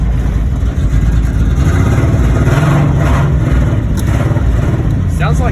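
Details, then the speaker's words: Drift car that wouldn't run, first start after pickup: loud lumpy low rumble with uneven pulses as it revs, missing badly on a cylinder or more; suspected flooding or a loose airflow meter, not confirmed. "it's missing real bad yeah"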